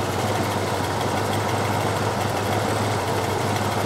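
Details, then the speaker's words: 351 Cleveland with a mild Crane cam and hot-air carburetor choke: fast idle being set on the choke cam by ear, no tachometer; steady brisk V8 rumble with no misfires, audible change in idle. "I'm going to go in and set the fast idle on the cam. Now, because Bill doesn't have a tack oil meter, I'm actually having to set this thing up by ear."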